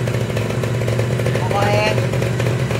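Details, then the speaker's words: Kawasaki Ninja SS two-stroke restored after being caught in a flood; it was noisy before the restoration. A steady, crisp two-stroke buzz holding even revs without misses or rattles; normal revving, smooth. "Saya ceritain Mas nih motor nggak ada suaranya halus banget"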